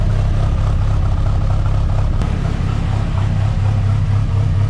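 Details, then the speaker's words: Rat10 engine after tuning changes, idling at 12–13:1 air-fuel at 1,000 rpm with stable injector pulse width and idle air motor a bit high: deep, even, smooth idle with no misses or knocks, healthy. "We made some changes, and it's idling at 12 to 13 to 1 at 1,000 RPM, which is good. It's smooth."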